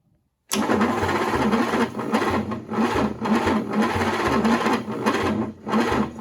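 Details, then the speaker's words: GMC 270 six in a 1940s truck, rusty and water-damaged, first start attempt in 20+ years after plug check: slow laboured cranking that rises and sags, never catching; the starter is old and worn. "that starter's old worn out like i said before so 12 volts to the starter 6 volts to the ignition i think we're good"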